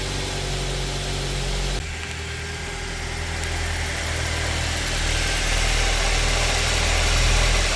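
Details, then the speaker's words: 2010-13 Ford Transit van after serpentine belt tensioner replacement (old one threw the belt), weak battery: brief crank then steady even idle with no belt chirp or rattle; pulley stable, normal. "don't see where the pulley's moving any, so that might be all it was. I'm just going to let it idle for a while."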